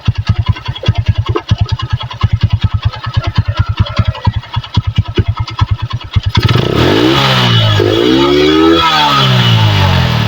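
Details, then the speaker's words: Megapro Primus single-cylinder after carburetor service, stock CDI refitted and a corroded wire repaired: even idle thump and clean revs without stutter, no longer misfiring; smooth running. "Oke sudah lumayan lebih baik ini daripada yang awal Ya sudah enggak begitu berebet"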